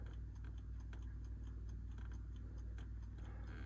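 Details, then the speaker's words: 1974 Jensen Interceptor Mk 3 with electric fuel pump, ignition on: a quiet, fast ticking of about four per second under a low hum as the pump primes the Edelbrock carburettor to counter fuel vaporization; normal priming that eventually stops. "By having an electric fuel pump, as soon as you turn the ignition on, you'll hear the pump in the background."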